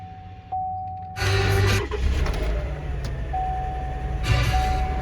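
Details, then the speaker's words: Salvage-auction 4WD truck, 47,000 miles, airbags deployed, smells of smoke: dash chime, brief crank, starts right up and settles to steady idle; no check engine light, only the airbag light, healthy start. "So it starts right up. That's good."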